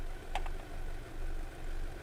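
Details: Audi A4 with complaint of bad shaking and coolant leak, after coil work: low steady idle rumble with gentle slow swells, no knocking or stumbling; running smoothly while warming up.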